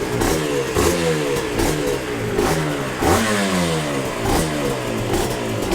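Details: Yamaha TZR 250 3XV 1990s twin two-stroke, first start after wreck-to-runner rebuild, in neutral: revs up and drops back cleanly to a smooth idle, no knocks or rattles, some smoke; healthy running.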